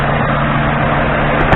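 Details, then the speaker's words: 2003 Lincoln Town Car V8, 51,000 miles, at operating temperature, vacuum gauge where the throttle body meets the intake manifold: smooth, steady idle with no misses or hunting; vacuum about 20–21 inHg, dropping on revving then returning. "our readings are about the same as the crown vic revving up the engine does drop the vacuum pressure off and immediately goes right back down to where it was about the 20"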